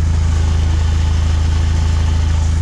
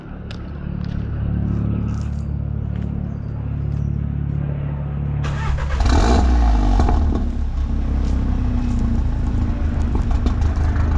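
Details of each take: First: Stage 2 VW Golf Mk7 R idling with AC on, slightly raised idle, loud deep buzzing drone from the rear silencer whose internal baffles have broken loose; recorded before the exhaust rattle fix. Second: VW Golf Mk7 R, stage 2, after fixing a rattling exhaust (new back box, brackets bolted up, tips refitted): petrol engine cranks, flares briefly, then settles into a steady deep idle without rattles; normal exhaust note at idle.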